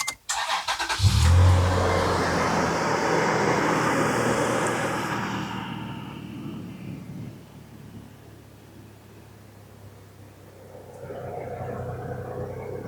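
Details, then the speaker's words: Toyota FJ Cruiser after the power steering pump and steering rack were replaced. The engine starts right up with a brief loud flare, then settles within seconds to a quiet, even idle; normal start and idle. "So let me start this thing up. Just want you guys to hear it. Starts right up."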